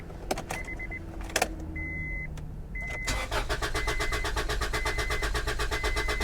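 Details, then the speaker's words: Salvage-auction Honda that cranks at about four even beats a second but never catches; no fuel pump hum is heard. The engine cranks but does not start; the cause is suspected, not confirmed. "she's not even trying its cranking but it's not even trying at all"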